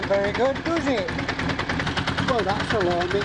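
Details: Honda CBR1000F, a landfill restoration bike, running after reassembly: loud, fast metallic rattle stays constant over the engine; the engine has developed an alarming rattle whose cause is not yet known.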